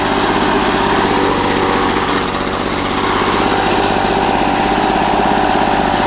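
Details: 1984 Lawn Boy two-cycle push mower, found roadside, after a rebuild of its clogged carburetor and clogged exhaust: steady, high buzzing two-stroke drone at even speed, no sputter, surge or misses; engine healthy.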